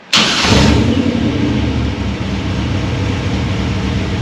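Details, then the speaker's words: V8 project car with a Holley Sniper tunnel ram, XP carburetor, MSD distributor and new water pump, restarted hot: brief crank, instant catch, quick rev flare settling into a lumpy, even idle that sounds rowdier; a clean, healthy hot start. "Sounds good. It sounds way more rowdy."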